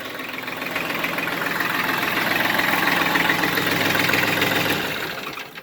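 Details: New Holland diesel tractor that cranked but wouldn't start, fuel relay suspected: steady diesel clatter at idle, even with no misses, then winds down at shutdown as 12 volts is removed from the fuel solenoid wire; runs normally.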